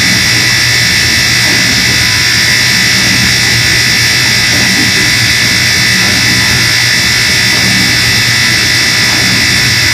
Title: Moffat dishwasher buzzing noise